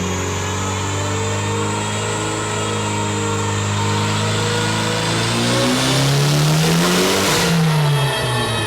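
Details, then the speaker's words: Hyundai Elantra on E85 with 1200cc injectors, dyno pull with reduced roller load: drone climbs, then revs flare and sag without speed gain; worn hand-me-down clutch slipping, not holding its 405 lb-ft rating. "yep the clutch went the clutch in this car is the one that I put in the GSX before I blew it up so it's a hand me down already anyway but it appears as though we've used it all the way up because it's not holding anywhere near its 405 foot-pound rating"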